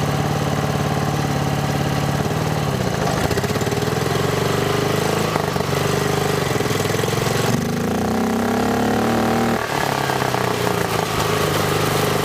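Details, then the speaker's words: Lawn mower with swapped single-cylinder engine, mic clipped next to intake filter: revving hard and unevenly, loud hollow intake roar rising and falling; smoke follows, owner thinks it still needs a catch can. "this thing is making an ungodly sound you can just hear it sucking air"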